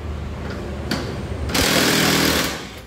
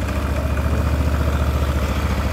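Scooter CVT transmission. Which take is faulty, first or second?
second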